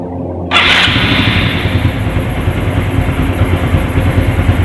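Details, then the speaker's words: Honda Supra X 125 FI engine just after valve clearance adjustment; catches and settles into an even fast idle with no valve ticking or clatter; valves quiet and correctly set; normal idle. "Ya udah teman-teman ini sudah nyawa ya sudah menyala bahwa disini suara katup sendiri eh halus ya ndak bunyi kasar ya"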